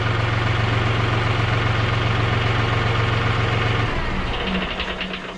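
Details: John Deere 5065E diesel tractor just after fitting a replacement starter: steady diesel clatter at an even idle, about four pulses a second, fading as it settles; runs smoothly.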